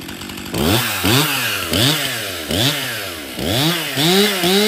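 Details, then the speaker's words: Stihl MS261 50cc M-Tronic chainsaw after full service, new fuel solenoid, air filter, fuel filter, spark plug, bar and chain: fires and revs cleanly in repeated smooth blips, crisp throttle response; starts and runs well, oiling well. "So this Stihl MS261 runs good, starts and runs good. It's oiling well."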